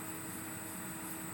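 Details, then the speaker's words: 2005 rebuilt Windows XP PC: thin high-pitched electrical whine over fan hiss from the graphics card, rising in pitch as the card works harder; suspected capacitor/coil whine, a known trait of this GPU. "What's actually happening here is this GPU is kind of known for this. And what's happening is when the voltage um flows through the capacitors on this graphics card, it creates a really high pitch sound."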